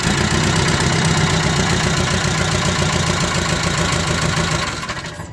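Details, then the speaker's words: Nissan K21 engine misfiring on one cylinder after the ignition coil was replaced; rough, uneven idle with a stumble every few beats, and cranking suggests low compression, to be checked with a relative compression test. "so the ignition coil has been replaced that's obviously has a run in it but you heard it cranking it sounds like we're low on compression"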